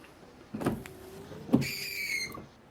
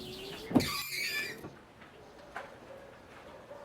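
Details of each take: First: After the bent wiper arm was straightened, two quick wiper passes over wet glass are a smooth swish with no stuttering chatter; the juddering noise has disappeared. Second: Windshield wiper run with the car stationary on dry, dusty glass gives a squeaky, juddering scrape and chatter from a bent, misaligned wiper arm.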